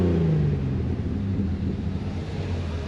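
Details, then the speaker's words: Jeep on trail, idling after restart: low, lumpy idle with uneven gurgling burble, felt as one cylinder down; misfire, owner suspects a bad coil. "Yeah, she's still gurgling and burbling. You can feel that it's one cylinder down."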